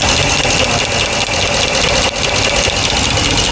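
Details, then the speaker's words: 2009 Dodge Ram 1500 4x4 5.7 Hemi, ticking since an engine rebuild; open valve train at idle with coils out, quick steady tick loudest at front left rocker, traced by pushing rockers to number one intake lifter; suspected noisy lifter, not confirmed. "Sounds loudest on the front rocker arm. I'm going to try and hold down the rocker arms."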